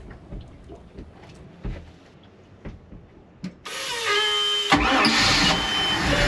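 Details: Boat engine test start after replacing both fuel filters and cleaning the spark arrestor, amid ongoing engine trouble: quiet knocking, then it catches abruptly and runs at a steady pitch without cutting out; starts and runs normally.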